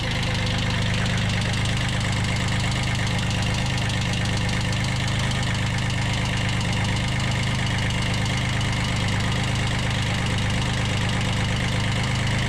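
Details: 1991 Kubota B7100 HST small diesel, just started after glow plug heating, at low throttle, after a fuel filter change and radiator stop-leak: an even, steady clatter at idle with no misses or hunting. It is running normally.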